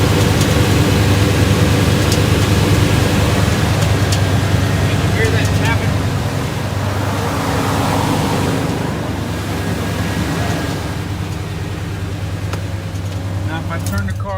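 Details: 1989 Chevy K1500 Silverado, morning start: a rough, low idle with occasional light metallic taps; the owner believes the loose starter pinion (bendix) is touching the flywheel, with the torque converter bolts checked tight. Fix: replace the starter.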